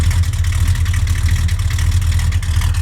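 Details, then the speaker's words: 1969 Plymouth Road Runner 440 big-block with 727 automatic, recently rebuilt carburetor and new exhaust: deep, even V8 burble at steady idle, no misses, knocks or ticks; healthy idle. "Oh man, there's nothing better than that smell. Best smell in the world. A nice smooth idle."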